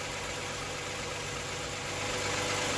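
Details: 2012 Toyota Sienna with the 2GR-FE 3.5 V6, idling just after replacing only the belt tensioner pulley. Quiet, steady idle with a light, even whir from the belt area and no grinding: running healthy.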